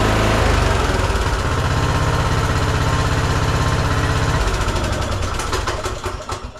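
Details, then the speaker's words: Troy-Bilt Bronco 42" riding mower, Kohler Courage 19, previously surging and dying off choke after aftermarket carburetor install, after repair: catches at once, steady even beat with no surging; normal start and idle. "just like new good as it can be thanks again"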